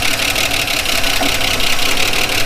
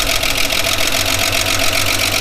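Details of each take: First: 1979 Holden HZ one-tonner ute, parked outside for years, first start with good oil pressure: rapid, even light ticking over a steady low idle, valve train tapping; owner thinks the rockers may need adjusting. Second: 1979 Holden HZ one-tonner ute, parked outside for years, started after resetting the points gap: the old six settles into a steady, even idle with a regular beat, nice even compression, no misses or knocks. Normal idle.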